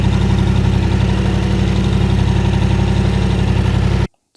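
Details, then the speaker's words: Yamaha Tenere 700 after the 15,000 km oil and K&N filter change with Penrite 10W40, run briefly to fill the filter before checking the sight glass. Deep, steady idle thrum, even beat, no knocks or ticks, then shut off: normal idle. "So yeah, definitely a good idea to start it up, get the oil filter full of oil and everything, and then you can get a more accurate reading of how much oil's in there."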